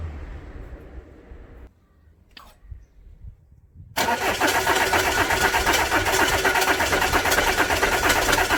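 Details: 2010 Audi A4 2.0 TDI diesel after high-pressure fuel pump replacement and fuel system priming: quiet spell, then steady even cranking that never catches; cranks but won't fire. Owner suspects clogged fuel filter starving the pump, or a damaged new pump; not confirmed.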